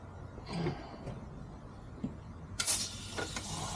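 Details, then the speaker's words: 1986 Pontiac Trans Am small-block Chevy with headers, leak-down test on cylinder 6 (low compression on 4, 6, 8); sudden sharp hiss of air rushing out, felt by hand. Air escaping, cylinder 6 or 8 suspected, cause unconfirmed. ">> Oh, you can feel all kinds of air right in the hand. Put your hand up there."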